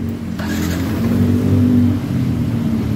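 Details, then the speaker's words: Yamaha NMAX scooter that cranked but would not run, with engine check light after throttle body work, now fixed: steady low hum with an even, settled beat and no hunting or stumble; idle normal. "Oke, sudah nyala ee mesinnya dan ini langsamnya sudah normal."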